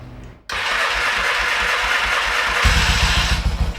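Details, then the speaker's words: 1970s Yamaha XS650 twin that sat 10 years, started in garage in neutral without choke: fires instantly into a steady roar, settles into even thumping idle; normal engine start. "what I don't even got the uh the choke on look at that wow look at that yeah this is pretty good okay that sounds great"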